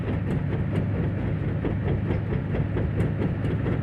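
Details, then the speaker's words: 1969 race car with dropped valve being towed to shop on leaf springs: repeated low thumps several per second with travel speed, galloping ride; owner wonders if leaf springs, unconfirmed. "Maybe you can hear it in the video. It sounds like we're galloping."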